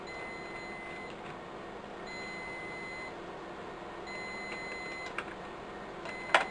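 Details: Riello DVD 2200 2U UPS, 96 V battery pack, while being reassembled after battery replacement: thin high-pitched beep sounding about a second at intervals in a quiet room; battery fault alarm warning of worn-out batteries.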